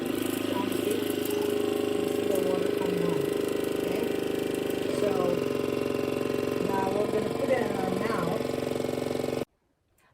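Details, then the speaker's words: Waterpik water flosser pump switched on, making the loud noise that is normal for it. Steady buzzing hum with a fast, even pulse and no catching or grinding; normal running. "Okay, so it's normal to, it will make a loud noise. That's normal. So let's try to turn it on."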